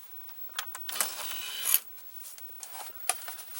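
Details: 1987 Emerson VCR872 VCR, gear-driven idler with no tire: light clicks and a short whirring rasp as the mode switch turns and gears cycle, no hum or grinding; mechanism fully working.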